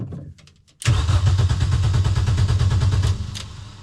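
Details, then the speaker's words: Mini R50 race car: starter cranks at an even four or so pulses a second but the engine never catches because the fuel pump isn't running; during the wiring work something was cut that shouldn't have been. "hard to start the car if the pump is not running and we don't have any daylight left which means we end this video on a very sour note because while I was trying not to [ __ ] things up turns out I managed to [ __ ] things up"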